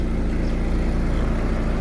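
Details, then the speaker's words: Exhaust of a car with 4th-generation propane system idling on petrol: steady, even low note with no misses or puffs, in contrast to the uneven exhaust on gas. "Endi gulishtirga e'tibor beramiz. Gulishtirdan bir xil chiqyapti mana."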